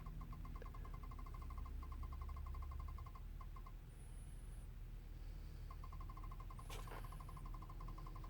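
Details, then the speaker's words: 2014 GMC Sierra 1500 that won't start, acting like a dead battery though the battery isn't dead: quick, steady light clicking about eight per second continuing with the key off; source undetermined. "not sure if you all could hear that sound coming up on seven minutes and I'm not even pressing it"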